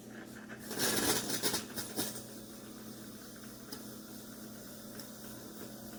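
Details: Chefman single-serve K-Cup coffee maker with rear water reservoir, full cup of water and pod loaded: a loud one-second spurt of hissing settles to a faint hum while brewing; abnormal steam venting, then it shuts off early leaving water unused.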